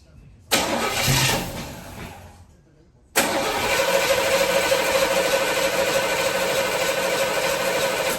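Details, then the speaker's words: El Camino cranked after 8 years unstarted, on a jump box with starting fluid; steady whirring turnover about three beats a second but never catches; no fuel reaching carburetor, fuel line/pump suspected blocked. "No, they ain't getting no gas."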